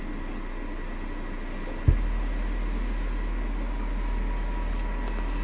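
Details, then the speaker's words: Ashley LF 18 V400 18-inch subwoofer after burnt voice coil replaced with a 2 saff coil: 20–30 Hz test tone, after a thump a steady deep hum, clean and even with no rubbing or buzzing. "Nah, ini dari 20 Hz. Wah, mantap. Nah, ini daunnya geraknya cepat ya di 30 Hz."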